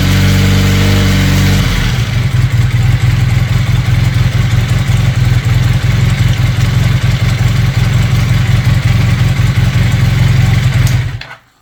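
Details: Honda CB400T Dream twin started for carb synchronization with vacuum gauges: lumpy, uneven idle with a wandering beat, then cuts off; carbs out of balance with a large difference on the right carb, rough uneven idle.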